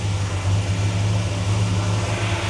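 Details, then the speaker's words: 1957 Chevy Bel Air 2-door V8, cooling fan running constantly: steady, smooth low rumble with an even beat, no knocks or ticks; runs pretty good, healthy idle, though a tune-up wouldn't hurt. "she runs pretty good probably wouldn't hurt to do a"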